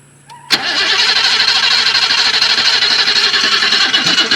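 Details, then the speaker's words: 1980 BMW 528i (E12) that sat about 8 years since 2017, first start attempt on a jump charger: the starter drags the engine over slowly, about two and a half turns a second, never catching, a weak battery that needs more charge. "All right, stop. We're gonna have to let it charge for a minute."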